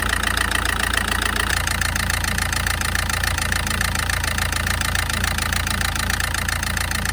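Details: SsangYong diesel during an injector test: steady idle with a hard, regular clatter about four per second over the low rumble; pronounced injector knock suspected, not confirmed.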